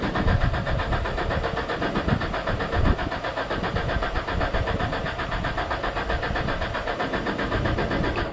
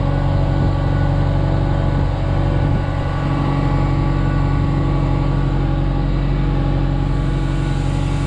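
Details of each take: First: 2001 Genie S60 boom lift with crank-no-start complaint: steady cranking over eight seconds with even chugging that never catches; no fuel pump sound when bumping the starter, no power at the pump's power side, traced to a failed fuel pump relay. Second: Genie S60 boom lift after crank-no-start repair: steady, even engine drone with constant low fuel pump hum, oil pressure up, fires right up, no knocks or misses; running normally.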